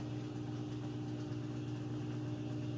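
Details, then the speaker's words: Like-new Samsung front-load washer with a load, final spin speeding up progressively: steady, even constant-tone low hum with no knocking or thumping; smooth and balanced, no weird noises, normal. "and smooth it's not off balance or making any weird noises or anything like that"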